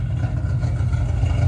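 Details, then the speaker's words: 2005 Ford Mustang GT 3V V8 idling smoothly with an even beat and no stumble after spark plug and coil work, first start in 3 days; O2 sensor and camshaft position sensor codes remain despite a new cam sensor. "Okay, guys, well, you heard it. Sounds a lot better."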